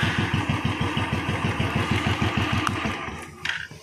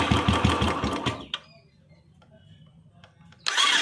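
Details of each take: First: Royal Enfield Electra 350 after the starter one-way clutch and bearing were replaced and the old engine oil changed; before, it would not start on the starter. Now strong, even thumps about seven a second, then shut off. It starts and runs cleanly. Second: Royal Enfield Electra 350 in neutral: electric starter whirs in quick bursts with no compression beat or firing, engine not turning; slipping starter clutch (self bearing), clutch cover to be removed after draining engine oil.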